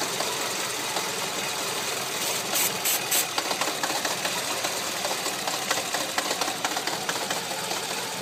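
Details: Renault Megane 1.6 16v petrol engine idling with a steady airy hiss of air being sucked in through a vacuum leak.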